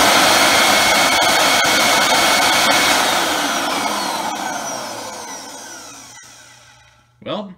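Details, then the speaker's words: Hoover WindTunnel Supreme vacuum after replacing motor with a used matching Maytag-type motor: strong even high-pitched roar, no rattle or grinding, winds down smoothly; runs normally. "seems to work fine now I'll go ahead and button everything back together and show you it running"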